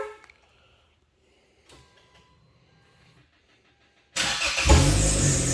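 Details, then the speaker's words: 2011 Hyundai Santa Fe GLS AWD on remote start; loud high squeal over the start-up roar from the accessory belt. Worn belt or bad pulley suspected, not yet inspected. "So you can hear the belt squeaking. We are going to take care of that."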